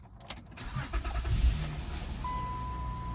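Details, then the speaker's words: Honda J35 3.5 V6 starts right after timing belt kit and water pump replacement, battery just reconnected: starter turns briefly, catches cleanly and settles into a smooth steady idle under a faint chime; normal start. "sounds good alright take the negative terminal back off to continue putting everything back together"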